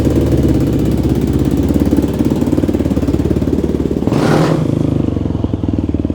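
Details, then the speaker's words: Yamaha YFZ450 rebuild, final ride after carb jetting dialed in: even, crisp single-cylinder thump with a clean throttle blip; normal running, build complete. "We got her dialed in, and yeah, we are done. This build is complete."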